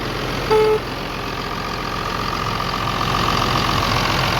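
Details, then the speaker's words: Tractor diesel engine after injection pump repair and fixing an oil leak, good oil pressure, no leaks now; steady even diesel clatter at idle with no misfire, knock or hunting; normal idle. "Don't see any oil coming out of there now, so I think we got her whipped. Sounds good, yeah."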